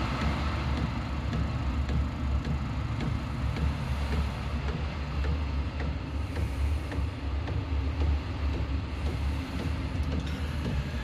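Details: Diesel heater in a homemade fox box at startup, fuel pump starting and heat beginning to rise: low steady burner rumble with faint regular pump tick about twice a second; running normally.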